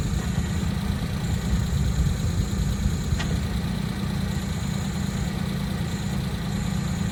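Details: Suzuki Jimny JA11 clutch-area noise that persists after the release bearing was replaced with a new one, and then replaced with a new one again: steady low idle rumble with a thin high whistle that comes and goes; origin unknown.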